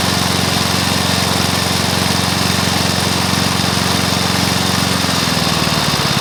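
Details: Briggs & Stratton mower engine (believed early 1984), first start after rebuild with new piston, rings and valves for oil consumption (loose rings, worn valves); fast steady single-cylinder popping drone, slight speed shift near end; normal running.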